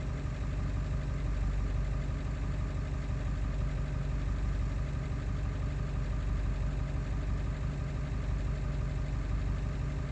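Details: Ford 7.3 diesel after ICP sensor replacement, still not running well: deep clattery idle with a slightly uneven beat around ninety per minute. It runs rough, and no clear cause is heard.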